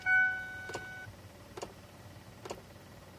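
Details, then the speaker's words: 2002 Ford Explorer, noise behind the dashboard when HVAC is switched from AC to heat, stopping when switched back to cold: dry clicks about every 0.9 s. The blend door actuator has a stripped gear, so the door won't move from cold to hot. "if you can hear that so the blend door actuator is stripped out there's a gear that's stripped out which means the blend door is not switching from cold to hot"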